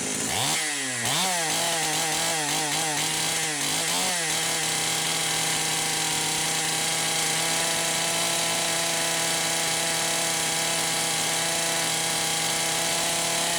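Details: Poulan Pro 525 chainsaw (Pioneer P52 design) running unloaded without bar. It warbles up and down several times a second, then holds high and steady as the carburetor governor cuts in. Mixture is about 1⅛ turns open and slight leanness is suspected.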